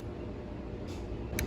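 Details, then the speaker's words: 2012 Dodge Ram 1500, 3.7L V6, crank-no-start after hard braking: scan tool toggles fuel pump, a sharp relay click over low hum with no pump whir and no fuel-line vibration; failed fuel pump suspected. "So if you pay attention, you can actually hear the relay clicking."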